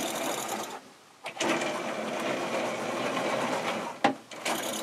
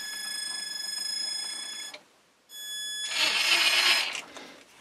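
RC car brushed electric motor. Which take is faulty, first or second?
first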